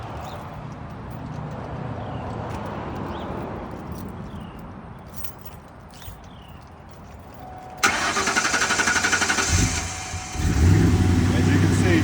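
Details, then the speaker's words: Engine cranked with starting fluid sprayed into a hose near the throttle, acting as fuel: it catches after about eight seconds and runs ragged and uneven, then dies; the dying fuel pump gives no fuel pressure. "can see, voila, it's going to run like pure crap. The fuel pump doesn't have enough, it's dying, so it cannot give the pressure to do this."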